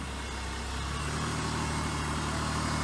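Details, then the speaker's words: Honda Pilot engine, still cold, idling: smooth, even low hum with no stumbles or skips, absolutely no missing of any kind, running the best it has yet. "see perfectly smooth I don't want to go too hard on it because the engine still cold but absolutely no missing of any kind"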